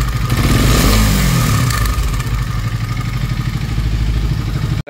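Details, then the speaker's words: KTM Duke 250 BS6, fairly new, before engine repair: single-cylinder running with a rough, busy mechanical clatter over the firing beat about three a second; worn timing chain, later replaced. "तो engine में हमने इसमें एक ये इसकी timing चैन खराब थी। Timing chain हमने बदली है इसकी"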